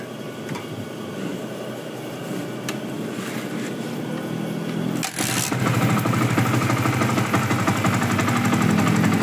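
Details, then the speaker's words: Yamaha Vixion single on its first test start after an engine rebuild, after the cam chain jumped and the valves hit the piston, causing loss of compression. It catches after brief cranking into an even idle without knocking. Compression is now firm; normal idle. "Ya udah halus juga suaranya ya dan sudah normal."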